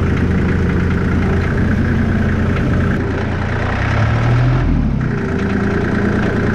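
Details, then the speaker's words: Allis Chalmers 5015 tractor diesel after an attempt to drain water from the fuel system via disconnected fuel lines: steady low diesel clatter at idle with even beat, no stumbling; running cleanly again. "So I actually ended up taking off the fuel lines and running it just without the fuel lines on, or spinning it over, and I think I got all the water out. And I'm not gonna lie, I did already start it. But here's what it sounds like."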